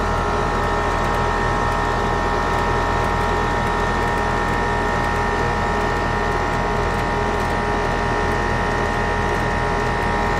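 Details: AC condenser on a no-cooling call, restarted after rewiring fan common to contactor with hard start added; compressor rated 19.9 A, fan about 1–1.2 A. Steady even hum, constant fan whoosh, no buzzing or rattling: compressor and fan running normally.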